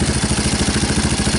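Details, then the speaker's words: 2002 Yamaha Warrior 350 ATV with new DG muffler, new battery, gas line and filter: even, steady single-cylinder idle with a deep exhaust note, no knocks or misses; healthy idle. "i like i actually like the sound of it it sounds deeper throatier whatever you want to call it"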